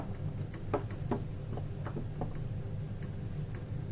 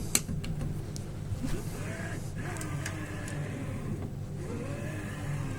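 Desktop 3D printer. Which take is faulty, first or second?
first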